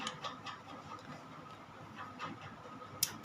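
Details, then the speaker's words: V-Guard AC voltage stabilizer that clatters as soon as voltage is applied. Faint rapid irregular clicking, then louder bursts: relay chatter because the internal fan is faulty and drags down the relay's coil voltage. Disconnecting the fan stopped the noise. "इससे यह होता है कि हमारा fine अंदर से 6 है और रिले वोल्टेज जो जाती है वो ड्रॉप कर ले रहा होगा जिस कारण से हमारे रिले को पूरा वोल्टेज ना मिलने के कारण ये रिले आवाज करने लगती है"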